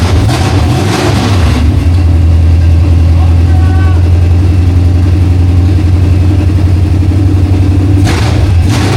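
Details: 1968 Mustang V8 on long tube headers, fired with a jumper bypassing a coil power wire fault (power only in crank): loud, deep, steady rumble with even beat and clean revs, no knocks or misses; motor healthy, normal running.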